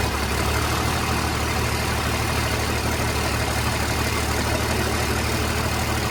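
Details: 29-year-old TimberJack 450-C skidder diesel, sitting 8 years, just started with ether, hydraulics working: steady deep even idle around three beats per second, no knocks or misses; runs good, healthy, blow-by check next.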